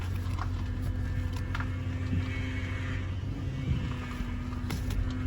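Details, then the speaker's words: 2000 Toyota Tundra SR5 4.7L V8 idling while steering left and right, after topping up power steering fluid: faint, steady whine over the rumble, quieter than before the top-up; owner suspects bad power steering pump. "after i had poured power steering fluid the winding sound did kind of tone down a bit but obviously when you hear that sound it's the sign of a bad power steering pump"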